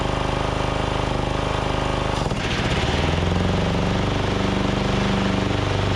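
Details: Craftsman DYT4000 riding mower, Briggs & Stratton engine, new fuel pump and deck belt, electric PTO deck engaged, after nearly stalling: fairly steady drone with faint uneven pulse, much smoother; carb still suspected off; slightly uneven running.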